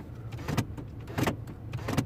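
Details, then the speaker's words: Mini Cooper D (R56) after repair of a no-ignition, no-crank, no-start fault; windows and other electrics now work. Central locking cycles with three short, sharp thunks about two-thirds of a second apart, no buzzing or hesitation: normal locking and unlocking. "so everything works fine uh what else it locks and unlocks okay"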